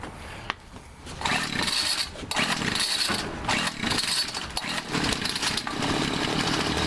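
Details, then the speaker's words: Homelite two-stroke string trimmer over 10 years old that would not start, after replacing the old spark plug: a starter pull, then it catches and holds a steady high buzz, running normally. "there you go see now we know it works no down here not now we know it works and all you had to do was just replace the spark plock and now I solve my problem"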